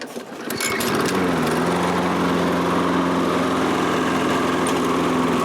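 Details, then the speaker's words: Toro Recycler self-propelled mower, about January 2010, auto-choke carburetor, after a simple no-start fix: small single-cylinder engine settles into a smooth, steady run with an even beat and no misses; normal running. "so he's going to have a nice running lawnmower again"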